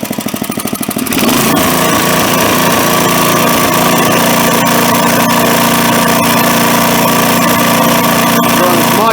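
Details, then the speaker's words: Craftsman tiller with a small single-cylinder engine, after cleaning and resetting the carburetor screw about 1.5 turns out: a fast, even idle with a steady beat and no cycling or surging; normal idle. "So that's at idle now. It doesn't cycle or surge."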